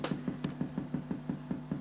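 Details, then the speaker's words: La Macchina del Tempo tap tempo delay guitar pedal: sharp even clicks about six a second locked to the tempo LED blinking leak into the audio output; LED switching noise, reduced by resoldering components and changing the supply. "and this is the problem with this pedal you see when the tablet blink you can hear a quickly sound like I don't know if you can hear let's see or say click click click click click"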